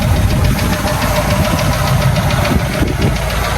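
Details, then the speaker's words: 1984 Ford F250 V8 on a straight-pipe exhaust: deep, steady low rumble with an even lope and no knocks or misses, idling smoothly and fairly quiet for straight pipe. "straight pipe it's pretty damn quiet"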